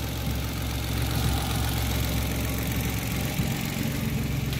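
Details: Mitsubishi Mirage G4 sedan after fixing a no-start from a locked throttle body stepper motor and dirty spark plugs; the computer shows no trouble codes. Steady, even idle with a smooth low beat and no misses, ticks or hunting: normal idle.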